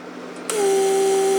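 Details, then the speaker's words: Repaired Mercedes door lock vacuum pump bench-tested with its port left unsealed; pump spins up to a steady hum and keeps running without shutting off because it never holds vacuum; vacuum leak, pump runs continuously. "you see how pump cycles never stops"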